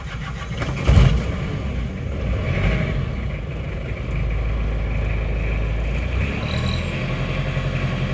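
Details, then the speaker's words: Isuzu Panther 2.3 diesel after rebuild for lost compression (stuck liner, reused original liner, new rings), fuel system being primed: catches after short crank, settles to steady deep even idle; normal start, timing possibly too far advanced. "cek dulu dari kebocoran lihat dulu sudah hidup rata"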